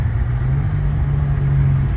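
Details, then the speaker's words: 1998 Nissan Skyline R34 25GT, RB25DE NEO converted to turbo (OP6 turbo, Nistune ECU, Nismo muffler, 3-inch exhaust), driven on the street after the first start: deep, steady, smooth exhaust drone with no misses or rattles; healthy running. "Oh, it sounds good too. It's awesome. That sounds gangster."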